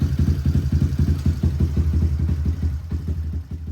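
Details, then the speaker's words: Big-bore Honda Grom: lumpy, uneven low burble with irregular pulses and no clean rev pickup; still runs rough and needs a lot of work. "just a little little taste [Music] it still needs a lot of work"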